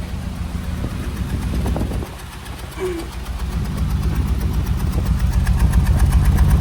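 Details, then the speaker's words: Petrol engine with suspected blown head gasket, about 25 minutes after adding head gasket sealer: lumpy uneven idle stumbling about four times a second, with smoke; still misfiring at idle despite the sealer. "It's misfiring. Now, according to the, you know, the the bottle and the instructions, uh, it's supposed to seal it already."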